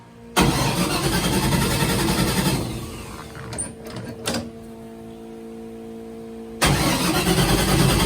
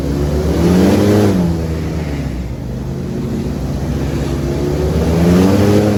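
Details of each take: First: LS3 airboat V8 after replacing coil pack on a dead cylinder found by exhaust temps: fires, dies, then lumpy hunting idle; owner suspects a fouled plug, and an earlier backfire blew the valve cover gasket. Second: LS3 V8 airboat on water test after repair: deep, even roar rising and falling with throttle under load coming out of the hole, where it used to act up; no misses or pops, now running healthy.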